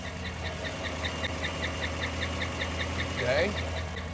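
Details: 5.3 LS engine, 220,000 miles, idling: quick sharp squeaks about two or three per second over a steady idle point to an internal squeak, possibly a lifter; previously worked on by another shop.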